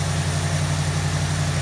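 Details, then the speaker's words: 1973 Ford Mustang convertible 302 2V with 2100 carburetor, warmed up with choke fully open, on the high idle cam: steady, even V8 rumble at 1320 rpm with no misses or surging; normal fast idle. "okay the engine has warmed up enough to open the choke fully and we're running at 1320 rpm that really is about where i wanted to be"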